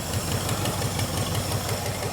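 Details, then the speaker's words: GT40 replica supercar V8, first start during the build after a near-total fire: deep, even burble at idle, about six low thumps a second, steady with no misses or ticking; the engine runs healthy. "She's sounding good."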